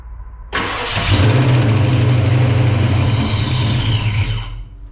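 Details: Supercharged Ford 306 V8 in a Fox-body Mustang, first start after installing an Anderson N-51HR cam, timing low and possibly a tooth off: catches and runs with an uneven, lumpy beat before dying; bypass hose blew off; rough running, cause unconfirmed.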